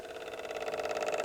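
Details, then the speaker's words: 1993 MCS cheap turntable motor before oiling: loud steady mid-pitched hum with fast wavering buzz from a dry top bearing; a drop of 3-in-One oil quieted it. "the motor's pretty loud try lubricating that a little bit see if that quietens it down"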